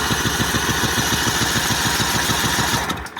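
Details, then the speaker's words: Brand-new short block small engine cranked with no fuel to pump up oil, first test, about 55°F spring day: steady even cranking chug about three and a half beats per second, smooth compression, no knocks; sounds good. "Oh, that sounds good."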